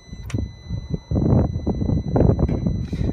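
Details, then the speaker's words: 2011 BMW 535i with code P0128, cold air from the vents and the fan running high: at key-on the electric coolant pump gives soft clunks and buzzing but never spins up; a failed electric water pump with no circulation. "You can hear where it wants to kick in, something electrical's going on. Pump's done. Again, no circulation"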